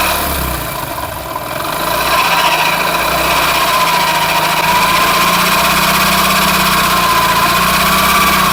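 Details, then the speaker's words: Hero Splendor Plus motorcycle: quiet at idle in neutral, but with first gear engaged and clutch released a harsh growl and rattle under the single-cylinder exhaust note, as if something breaking inside; grinding suspected from the clutch chamber or magneto. "लेकिन bike को जैसे first gear डाल के colour छोड़ेंगे तो उस time engine से घरघराने का अजीब साउंड आ रहा है। जैसे लग रहा है कि भाई इंजन के अंदर कोई टूट रहा है।"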